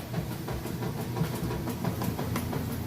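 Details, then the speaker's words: Kenmore top-load washer with heavy jeans and towel load, lid switch bypassed: steady swishing churn with soft rhythmic thumps a few times a second as agitation starts; normal agitation. "it agitating just getting started there excellent job with the agitation"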